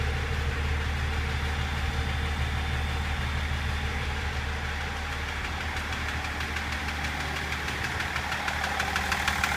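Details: BMW M57 diesel with a quick, fairly regular knock of roughly three a second over steady running. The knocking reportedly started at about 240 km/h; cause unknown.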